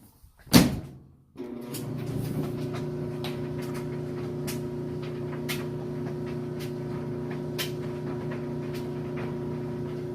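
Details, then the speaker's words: Maytag electric dryer running a full load of freshly washed clothes: door thump, then steady motor hum with soft irregular tumbling taps; runs smoothly, normal dryer operation. "great. Runs great. Nice smooth operation. So there you have it. These guys work good."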